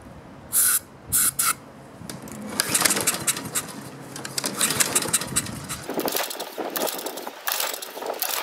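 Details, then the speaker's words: Husqvarna self-propelled mower with Honda engine, fuel shutoff just opened, dirty air filter: several quick recoil pulls spin it with rasping turns but it never fires; no spark. "somebody put a gas shut off on here and that's on the off position it might help to open that up huh interesting still doesn't want to start"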